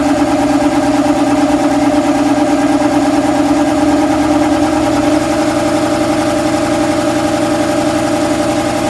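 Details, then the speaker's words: Shop air compressor starting with a loose drive belt showing too much deflection: the motor drones sluggishly for about five seconds, then the tone steadies as the flywheel gets up to speed and the belt stops slipping. Belt tension needs correcting. "to get it to where the belt will stop slipping on it and you're gonna hear that just in a sluggish start and then it'll sort of catch up"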